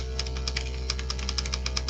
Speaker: If the pop filter is not working, then you can hear the buzzing of the paint shaker thing, and that rattling sound is just a little metal ball in the paint container that is there to beat up on